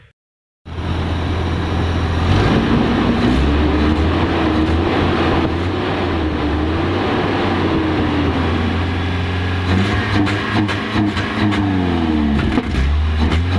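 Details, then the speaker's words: Toyota van engine, misfire cured by fitting cleaned and tested 5M-GE injectors, still won't rev: it pulls up, then stumbles and sags with uneven popping near 3000 rpm; suspected spark or igniter, but the cause was fuel pump starvation at high revs. "The misfire was fixed, but I still had issues with it at high revs. It wouldn't rev. It would sort of reach about, I don't know, the 3000 RPM mark and then just break down."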